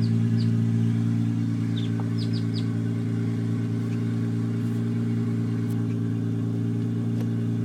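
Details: Toyota JZX83 idling after wiring and vacuum lines were cleaned up: a smooth, even idle with a steady low hum and no misses, surging or hunting.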